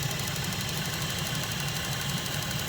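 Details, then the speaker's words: $450 Copart car with timing-chain codes, engine idling under the hood: steady idle with a light, fast ticking and no heavy chain slapping; owner suspects a little lifter tick, told it may be normal. "Usually when cars have really loose timing chains, enough to throw codes, you can hear them slapping, and all I hear is a little bit of ticking."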